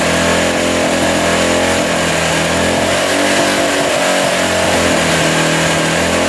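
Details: 1985 Honda XL600R single, sat a couple years, oil put down the cylinder, started on choke: revs up and holds a fairly flat, thin note, smoking as oil burns off; it runs, but low compression is the suspected problem.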